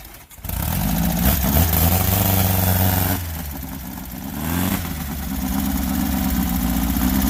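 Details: Volkswagen Baja Bug air-cooled engine, cold and never yet up to temperature, moving under load: uneven beat, dipping and sagging as it pulls. Owner suspects stumbling and dying is because it's very cold-blooded, easing once warm.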